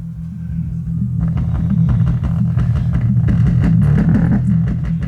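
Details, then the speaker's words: Paradigm PDR10 subwoofer with no power, cause a blown fuse, played with the back off (no tuned cavity): deep clean bass thumps, no buzz, crackle or rattle; amplifier drives the woofer normally. "Yeah, it works. It sounds like all subwoofers with the back off because there's no it's not there's no tune cavity."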